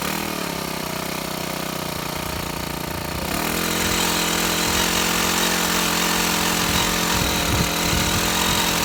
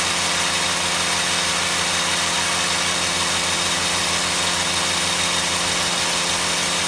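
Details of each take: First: Shindaiwa HT2510-40 hedge trimmer, C4 low-emission four-stroke, test run after new clutch and tank-to-carburetor fuel line: revs unevenly with ragged stumbling buzz, won't hold speed, no power; rough running later traced to broken cam lobe. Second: Shindaiwa HT2510-40 hedge trimmer, C4 four-stroke hybrid engine, after clutch and cam replacement, timing and valve clearance adjustment: held at high revs, peaking around 8,800 rpm on the tachometer, with a steady, even buzz and no misses or surging. Normal running at high speed.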